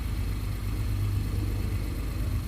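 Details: Acura (MDX/RLX/TLX/RDX) running after remote start just programmed with an Autel scan tool: steady, even low rumble with no knocks, ticks or misses; engine idling smoothly and healthy after starting.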